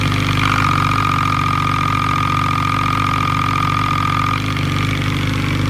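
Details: Loud metallic clatter at idle that ticks along with the revs from a Bking engine; loose clutch basket bolts were striking the crankcase, fixed by retightening with Loctite.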